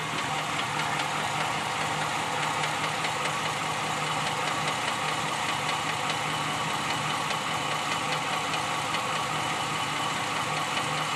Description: Ram 2014 5.7 engine knock